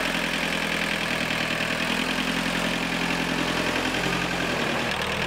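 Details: Tractor diesel just after fuel filter assembly replacement, bled via switch on the filter, injectors not bled: settles into a steady, even idle with a firm clatter, no misses or stumbling; normal idle.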